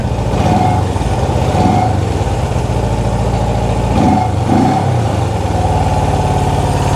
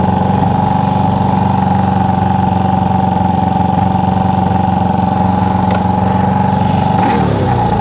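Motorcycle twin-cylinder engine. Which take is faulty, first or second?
first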